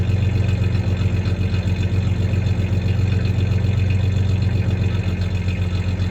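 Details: 1993 Ford Ranger 3.0 V6 idling then a little rev; faint recurring stumble about four times a second, slight misfire at idle; any clanking is loose tie-downs in the bed, not the misfire.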